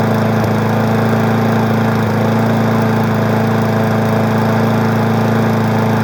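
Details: 20-inch Weed Eater lawn mower running after wake-up: even, steady buzzing drone at constant speed with no stumbles or knocks; runs smoky but doesn't shake; small engine running healthy.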